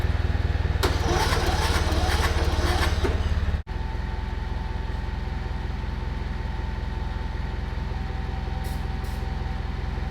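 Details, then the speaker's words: 2000 Murray LT1000 lowered riding mower, new exhaust, jump-started with starting fluid: cranks, catches, settles to steady fast idle that never drops; throttle return holding high RPM, idle set screw didn't adjust it. "the last thing is the throttle return I noticed uh it seemed to be holding at a pretty high RPM just idling"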